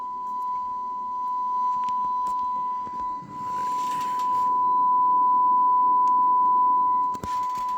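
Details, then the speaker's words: Radio Shack TRC-495 CB base unit after repair and rough alignment, fed from a signal generator: clean steady tone about 1 kHz over low hiss without dropouts, still barely audible at −120; receiver working properly, surprisingly good reception. "such a really good receiving radio I'm uh I'm shocked"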